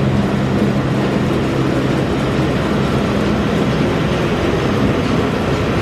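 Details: Massey Ferguson 40 combine (possibly 1996), sat 3 years, fuel and electrics refreshed; steady, deep diesel drone with no knocks or misses, running evenly unloaded while shaking the machine; normal running.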